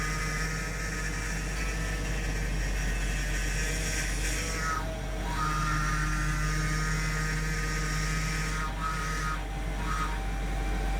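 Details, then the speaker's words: Supercharged L322 Range Rover, after a high-pressure power steering hose replacement and refill, has a steady power steering pump whine over the engine; the fluid is still foamy and aerated, and it is being bled by turning the wheel. "Still noisy, okay. Let's go check on it. It only dropped a little bit. Still a little noisy, so I'm sure it will continue to drop, but we'll start it up again and do some wheel turns."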